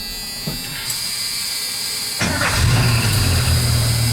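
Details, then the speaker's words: 1985 Ford F150 with 300 inline-six, after new carburetor and distributor (distributor on its own relay): starts instantly and settles to steady even idle, warning buzzers working; owner suspects throwout bearing going rather than belt squeak. "she just fires right up got the annoying buzzers in there all working"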